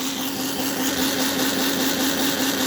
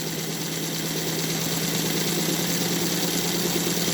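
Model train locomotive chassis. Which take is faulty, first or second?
first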